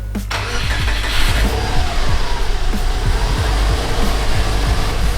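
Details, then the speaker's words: Subaru, second start after a 6-speed manual gearbox swap: the starter cranks briefly, then the engine catches and settles into a deep, steady idle with no knocks. "we are going start number two start number one flying colors man a little bit of smoke but that was to be expected"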